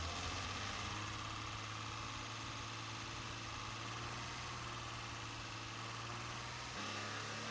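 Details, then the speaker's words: BMW E30 warming up at idle: uneven, lumpy, slightly unsteady beat, noise seemingly from dipstick tube area; engine running rich with black smoke and fouling plugs, likely restricted fuel return; compression about 135–160 psi. "as you can see it's got a little bit of a rough idle and in the daytime we got a little bit of noise but basically the same it sounds like it's coming from right here from the dipstick tube and here's Cylinder 6"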